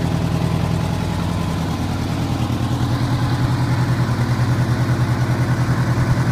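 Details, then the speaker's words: 1985 Honda Gold Wing GL1200 Aspencade after sitting seven years, freshly rebuilt carbs and idle adjusted: even, steady low idle about three beats a second with no knocks or misses, running healthy. "a little bit of adjustment on the idle and the bike is running pretty well"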